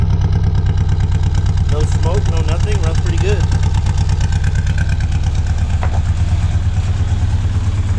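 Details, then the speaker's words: 1966 Austin Healey Sprite with a new distributor, starting and running on its own fuel pump: a steady, even low putter at idle with no misses or stumbles. Normal idle. "there we go runs pretty good running on its own fuel pump and everything got that performance inside"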